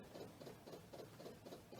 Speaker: it's an su pump that's pumping fuel up to the carb makes it easier to start